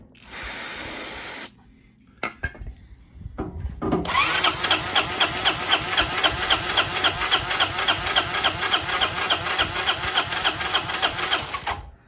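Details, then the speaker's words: 1993 Honda Helix scooter found in a sand dune, first start attempt with spark plug fitted and a faint spray of starting fluid: starter grinds steadily with only faint catches, cranks but won't start; CDI light then flashes, spark not yet checked. "Hit start. I heard a little something. A little something, something."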